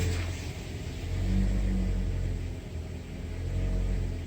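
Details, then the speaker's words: Toyota 4-cylinder with P0171/P0174 lean codes, vacuum hose disconnected to simulate a leak: low idle that swells and sags every couple of seconds, hunting rpm bounce from an intake vacuum leak, with hissing from the leak. "so if a vacuum leak is large enough to affect airflow you're gonna get an rpm bounce while you're sitting on idle it's going to try to flutter"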